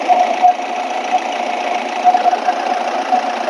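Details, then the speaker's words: Mahindra Bolero pickup with a coolant leak at the water body, engine idling rough: uneven, gritty knocking chatter through the idle; rough running, cause not confirmed, water body suspected. "ಸೌಂಡ್ು rough ಬರ್ತಿದೆ ಇದರಲ್ಲಿ ಬರ್ರಿ check ಮಾಡೋಣ"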